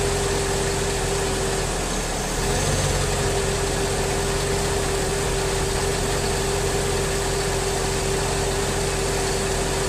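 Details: 2003 Mercedes S55 AMG at about 186,700 miles (over 300,000 km) after replacing the leaking ABC hydraulic pulsation damper: steady idle with only a faint constant pump whine, much quieter than before, with no leaks.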